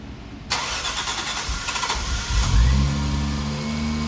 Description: Buttoned up the car, installed what was left and attempted first start again, now with the new harness.